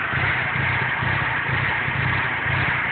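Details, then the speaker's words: GSX petrol engine idling at operating temperature, no check engine light, with an uneven, pulsing low rumble rising and falling about twice a second; rough idle, cause unknown. "Alright, here we are. This is how the car is idling."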